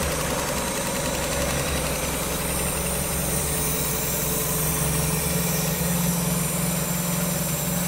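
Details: 1994 Miata NA with 2000 NB engine on Megasquirt and EDIS-4, first-start session, restarted to trace an unlocated coolant leak; steady low idle with even beat, no misses, faint tone on top: normal idle.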